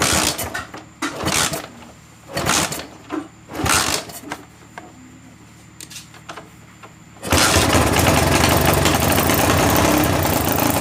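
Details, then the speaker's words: Honda GL Max single-cylinder motorcycle, long unused and previously rough and noisy, the noise suspected to come from its timing chain, after timing chain replacement: after some handling clatter it fires up and settles into an even, steady idle with no chain rattle or ticking. "Dan inilah suaranya setelah kami mengganti rantai timing, teman-teman."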